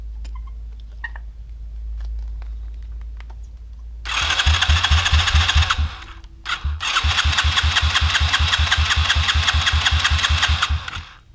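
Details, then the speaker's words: Sach Madass 125cc pit bike, nearly stock engine, cold compression test with fuel off and throttle open, plug looking rich: starter spins engine in quick even chuffs, about 2.5 per second, no firing; only 68 psi: low cranking compression, to retest hot. "So what we're showing here is an almighty 68 psi of cylinder pressure. You don't do a compression test when the engine's cold."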